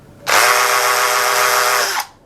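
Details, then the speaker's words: Drill switched to hammer mode for wall or concrete, pressed back against the bit: high steady whir with a hard buzzing rattle of hammer blows for about two seconds, louder than plain drilling: normal hammer drill operation. "Tapi kalau untuk mode palu seperti ini, ya biasanya dia ada semacam bunyi yang lebih keras seperti memukul."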